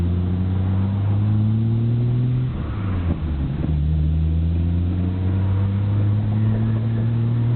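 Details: Nissan Skyline GT-R BNR34, stock Getrag manual gearbox with Nismo clutch, recorded windows open: loose, uneven rattle under the steady idle drone. It is abnormally louder than usual and slow to stop when the clutch is pressed. Unchanged after oil change; cause not pinned down, overhaul considered.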